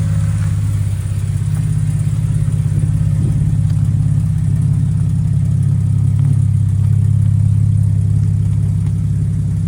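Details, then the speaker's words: Jaguar XK140 cold start, water temperature at zero: fires right up, low smooth even idle, steady beat, no misses, knocks or ticks; healthy. "Fires right up every time. It's unbelievable how nice this thing starts. As you see, idling beautifully."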